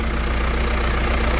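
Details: Mitsubishi Triton 3.2 diesel after decarbonization by another shop, turbo audible; loud, steady diesel clatter at an even idle with no misses or rough patches; engine and turbo healthy.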